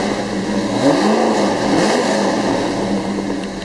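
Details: 1971 Chevelle Malibu SS conversion with engine work by Tom's Performance and cowl induction: a big V8 blips and drops back with a lumpy, choppy rev and crisp throttle response, no knocks or misses, a strong, healthy engine.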